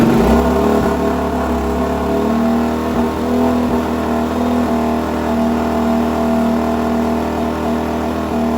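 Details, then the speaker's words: Suzuki DRZ400 single-cylinder, first startup after top-end rebuild (new rings, gaskets) and no-spark fix, a little choke at about 65 degrees, no coolant yet; steady smooth thumper note, no knocks or rattles, sounds good; normal running. "I give it a little choke because it's about 65 degrees. Ooh, sounds good."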